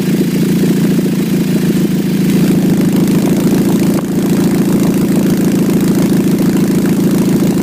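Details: 2006 Nissan Altima at idle: loud, raspy, motorcycle-like drone with rapid pulsing about three a second and a blip; suspected exhaust leak at the flex pipe, not confirmed.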